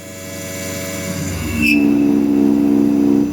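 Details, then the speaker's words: Langmuir Systems MR-1 milling steel with 40 in/min feed, 10 thou step over: a hard, steady high-pitched chatter scream. New 5 amp X/Y stepper motors; owner suspects the new motor couplers and 50% idle drive power. "Back to 8,000 RPMs. Man, that shakes the machine. So, I think I'm going to make some custom couplers."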